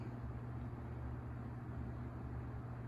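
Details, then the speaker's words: Vintage Coast-Air 12" box fan, guessed late 60s to early 70s, on low speed: soft steady hum, gentle even airflow, good blade balance, no rattles, ticks or squeaks; surprisingly quiet, running normally. "we started on the low speed no noise no rattles or squeaks good blade balance nice gentle airflow on the low speed surprisingly quiet"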